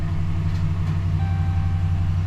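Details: 2012 Ram 1500 idling just after restart following oil change, oil pressure coming up to middle of gauge: steady even low rumble, no knocks or ticks; settling normally, healthy.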